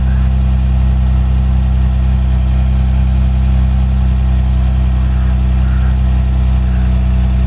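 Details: Manual Lexus IS300 inline-six with 169,000 miles, engine about to be swapped into another car, idling: deep, steady constant low drone with no misses or ticking; clean idle.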